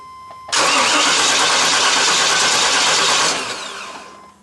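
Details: 1995 Chevy Tahoe 5.7 TBI, cranks but won't start: starter spins the engine steadily about three seconds without catching; spark is present, and the fuel pump relay isn't powering the pump. Crank, no start.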